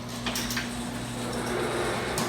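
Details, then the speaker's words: Garage door running after lubing hinges, rollers and bearings, tracks left unlubed: rumble with faint steady squeal and short high squeaks; still squeaking, owner suspects binding. "but that did not uh the door is still squeaking uh I think moving is not the problem let's run it down I think I quieted down the squeaking butt there's some binding going on"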